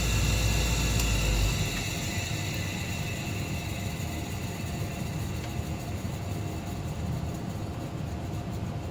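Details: Old Carrier 58SSB natural-gas furnace inducer motor; steady even whoosh over a low hum with no rattle, buzz or knock; motor and wheel fine, the owner's vibration noise was traced to worn motor mounting grommets.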